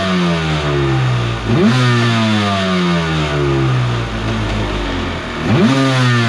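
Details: Borrowed 750 Kawasaki jetski engine in mini aluminum jet boat, run on hose with jet pump removed: revs blip and settle cleanly to steady idle, no crazy noise; earlier noise traced to the pump.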